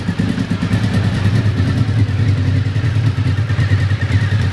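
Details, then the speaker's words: 1991 Honda VFR750F RC36 V4 after tightening a loose exhaust header bolt that was letting exhaust blow out. Even, steady idle with a regular low beat and no puffing or ticking from the headers; sounds better, normal idle. "Right, now that seems to sound a little better now."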